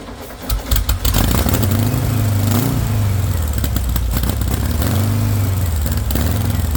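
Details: VW engine with straight pipe, first startup on starting spray: it catches and revs up and down unevenly, surging rather than idling; too much spray revs it, too little air chokes it; no fuel pressure, owner suspects a bad fuel pump.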